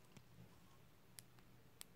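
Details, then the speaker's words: New replacement Nintendo Switch Joy-Con joystick, tested before fitting: a few crisp, distinct clicks with no grit or mush, whereas the worn sticks on the controller make no click. Normal click. "on entend bien le petit clic des petites bricoles qui ne sont plus opérationnels sur les mallettes voyez sur la manette on en entend pas alors que là effectivement bon ça a l'air d'être prometteur"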